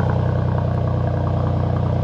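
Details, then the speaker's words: 2018 Mercedes C43 AMG idling after resonator delete; deep steady even burble with throaty low growl, no knocks or misses; healthy, louder exhaust. "you can really hear the difference now it's a proper difference now that now sounds worthy to wear the amg badge just listen to that growl"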